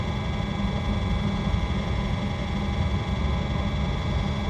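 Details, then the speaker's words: RV Hydro Hot water/coach heating system burner after DIY annual service: steady low even roar, no sputter or surging, no leaks or rattles; brief smoke from unburned residue cleared quickly; burner firing cleanly. "sounds like it's doing what it ought to do need to get the cover put back on it no leaks or rattles so he's a good thing"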